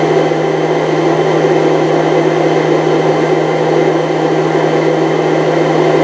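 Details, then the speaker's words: 1998 Chaparral, Mercruiser 305 (5.0) V8 carbureted Alpha1 sterndrive running rough/misfiring: fuel pump flow test into a bottle, about a pint in 15–16 seconds, constant low hum with steady hiss; fuel pump judged okay, filter probably okay. "The Essentially, the fuel pump was okay. The fuel fuel filter was probably okay."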